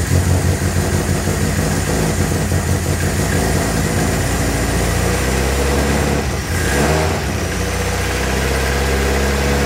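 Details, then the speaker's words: 1959 Alfa Romeo Giulietta, parked several years, started cold on choke; uneven, lumpy idle that stutters and surges with a dip and catch around six seconds; owner says it stutters a lot when cold; rough cold idle. "I know it stutters a bunch when it's cold. Let's go see what it does when it warms up."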